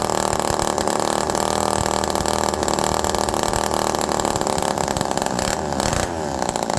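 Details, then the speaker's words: Old Homelite Super Mini two-stroke chainsaw, low jet being adjusted in half-turn steps: revs quickly but won't drop back to idle, hunting and wavering before settling slightly. Air leak or mixture suspected, not confirmed. "Listen to how it revs quickly but doesn't go back down to idle."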